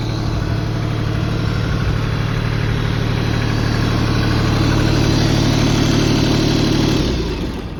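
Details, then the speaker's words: LS XJ2025H 4WD compact tractor with loader and backhoe, still under warranty: even diesel clatter at a steady idle, no knocks or misses, then it winds down cleanly at shutdown; the owner says it runs great. Normal diesel idle. "Fire it up for you. Runs great, everything works perfectly on it."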